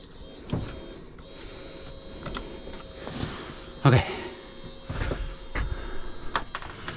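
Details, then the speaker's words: Small bilge pump pumping water out of a free Halcyon 23 sailboat, hose lifted over the boat's height: faint steady motor hum, no water sound yet, not primed; it starts flowing shortly after. "Not flowing yet. You might be asking a lot of this little pump."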